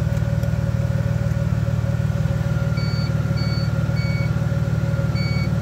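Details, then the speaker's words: 1986 Mazda RX7 with LH6 5.3 V8 swap on Holley Terminator X, during cold-weather starting attempts: high chirp repeating about every half second over idle is the normal factory Mazda ignition key beep, not Terminator related. "the factory mazda ignition beep that's not terminator related"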